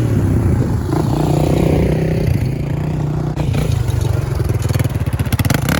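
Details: 1996 Honda TRX300EX single-cylinder ATV, warmed up after a no-drive breakdown (clutch out, nothing happened), chains back on for a test drive: thump revs up and settles, then even pulses under throttle with no knock or clatter, normal running.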